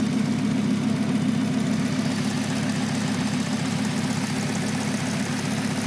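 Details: 1996 Volvo 850R on 93 octane at stock boost, idling: light, fairly even tick about three to four a second from the driver side of the engine, loud at times and quiet at others; owner unsure if it is normal, cause unknown.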